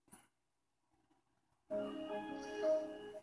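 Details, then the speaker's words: Samsung LN37A550 (A550 series) 37in TV: repeated musical startup chord with screeching audio, no picture, red light flashing as it retries; startup cycling from failing main board 47uF 10V tantalum capacitor (MP2363 step-down chip also implicated). "24 seconds in we get the first attempt still no picture we can see our red light flashing in the lower right corner television set is not locked on with the second attempt making a screeching sound with no pictures"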